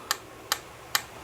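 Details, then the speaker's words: Brand-new Brastemp/Consul washing machine gearbox input shaft turned by hand: four light, crisp, even ticks about 2.4 per second in a quiet room; normal play; a very dry noise could indicate a failed gearbox seal. "Puxa esse câmbio tá novinho zero quilômetro E olha que o barulho que tem que fazer isso é normal"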